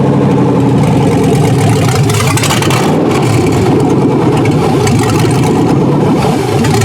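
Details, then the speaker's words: Junkyard 6.0L Chevy V8 from a 2002 truck pulled from a mud hole, run on a test harness after seeming to run out of fuel: deep, steady rumble with a brief rev, even firing, no knocks. Normal running. "looks like it's going to run."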